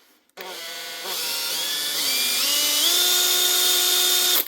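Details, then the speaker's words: Makita 18V brushed drill, 2021 and lightly used, after a brush change, tested at low speed to check the armature: the motor spins up in smooth steps to a clean, steady whine with no jitter, so the armature is okay. "Just the sound of the motor is the best thing to actually tell to see how good the armature is, especially at low speed. If you hear any jittering, generally it's a sign the armature is bad, but that one is actually okay."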